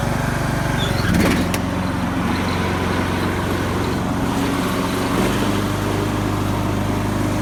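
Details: Craftsman YS4500 lawn tractor, 20hp Briggs & Stratton Intek OHV vertical-shaft engine, after replacing a head gasket that failed beside the pushrod chamber and a tune-up with new oil, oil filter and fuel filter. It runs with a steady, even hum and no misses or knocks, and the oil burning and smoking appear fixed.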